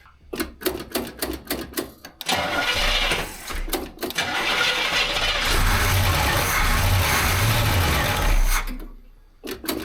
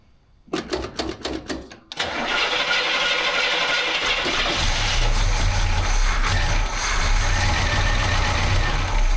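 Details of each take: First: 1968 Camaro SS 396 big block, one owner, first run after sitting 26 years and appearing locked up: rhythmic cranking, then the V8 catches and holds a steady, lumpy idle for several seconds before cranking resumes; normal idle. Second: 1968 Chevy Camaro SS 396 big block, one owner, sat 26 years with the motor first appearing locked, on its first start: several cranking bursts, then it catches into an uneven, lumpy idle that slowly steadies as it seems to start getting fuel.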